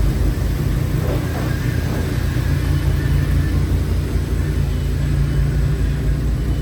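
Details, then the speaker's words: Audi S6 with 118,000 km, driven after sitting for months and after checking a steering-area clack; only a steady road and engine rumble with no knocking or rattle, so the steering clatter is gone. The steering wheel sits slightly off-centre to the left. "Jo, klappert nicht mehr."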